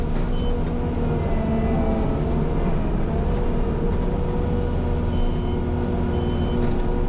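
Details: New mulcher working forward through dirt: heavy engine rumble with a high backup beeper still chirping during forward work, not yet troubleshot; backup alarm sounding continuously.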